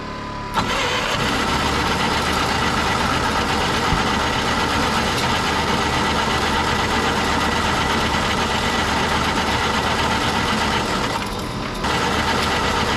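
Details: Road grader four-cylinder magneto pony engine on a cold morning (about 30 degrees), after freeing a stuck-open valve and correcting swapped magneto wires: catches after a brief crank and settles into a steady, even run with no knocks or misses.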